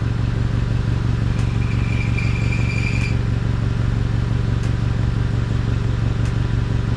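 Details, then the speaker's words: Honda CR-V with aftermarket catalytic converters, at idle after ignition coil and spark plug inspection: steady hum with a brief high buzzing rattle and sharp ticks from underneath; foot pressure on the exhaust pipe stops it, cause unclear. "okay and now watch I'll put my foot on the pipe and the noise goes away so I'm not sure why it's making that noise"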